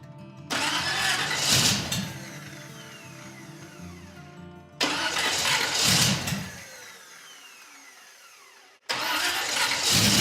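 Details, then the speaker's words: First start of a freshly built custom car's engine with exotic carburetors, after slow cranking and an odd-sounding starter. It catches with a rising roar, then settles to a smooth purring idle. Normal start, though it still needs tuning. "It lays right down to idle and just purrs smooth."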